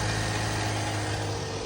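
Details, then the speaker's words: Range Rover Evoque petrol engine at start/idle with a loud, busy metallic rattle over a low hum; timing chain rattle, to be fixed by replacing the timing chain, tensioner, sprockets, oil pump and pulley. "I'm going to show you the noise that this timing chain is making we're going to fix it today listen to this"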